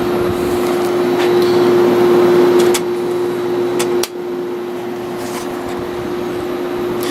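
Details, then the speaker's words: A vintage 1970s Whirlpool 6000 BTU air conditioner with a Seeger compressor (owner leans reciprocating, unsure) and GE fan motor: steady compressor hum and refrigerant/airflow hiss settling lower as the fan drops to low. It sounds healthy. "to me it just sounds more like a reciprocating than a [Music] rotary I can hear the refrigerant hissing"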